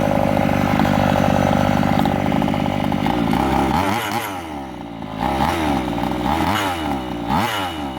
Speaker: Now that clinking that you hear is my clutch shoe. I believe my spring has stretched a little bit.